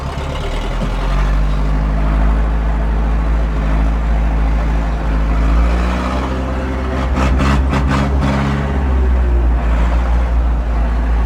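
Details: 1997 Zetor 4340 59 hp 4x4 diesel cab tractor with loader, 1447 hours, unserviced as traded in, 540 PTO turning: steady even low rumble, no knocks or misses, brief rattle midway; normal running with PTO engaged.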